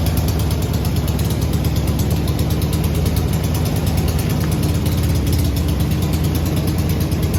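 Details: Garden-find 1970s Volkswagen bay window campervan, air-cooled flat-four, first start off the key in over 30 years after seized engine freed; steady low chuffing idle, even beat, no knocks or rattles; normal idle.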